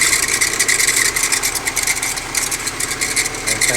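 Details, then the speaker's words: VW Amarok diesel with loud engine noise, low fuel pressure DTC P0087 and U3501, scanner not communicating; steady high-pitched whine over the idle, faulty alternator not charging, small oil leak also noted. "Alternador aí com um problema, né? E tem um vazamentinho de óleo aqui, mas o problema é esse, o alternador. Daí ela não consegue gerar."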